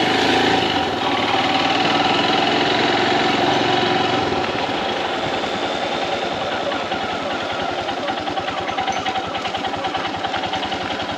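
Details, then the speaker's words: Royal Enfield Himalayan BS VI single-cylinder motorcycle at cold idle in the morning, rapid fairly regular clatter over the exhaust beat; happens every morning only, unresolved after dealer service; abnormal cold-idle noise. "Hi guys, my bike is making a weird noise in the mornings."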